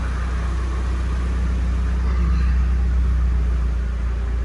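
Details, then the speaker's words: 1999 Nissan Silvia S15 Spec R, SR engine, with Blitz muffler, idling: steady, deep, even thrum with no knocks, misses or whine, typical SR sound. Normal idle. "battery engine started up fine as you saw there's no weird sound sounds like your uh typical Sr engine"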